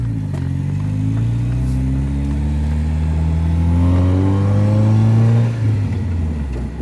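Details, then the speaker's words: Car with a check engine light and bad rear-end noises, exhaust ending mid-car because the muffler rotted off: revs climb and fall with a raw, blaring roar far louder than stock, open exhaust with no muffler. "does the exhaust just end in the middle or what's going on with this exhaust there's no muffler like the muffler rotted off but it ends out back"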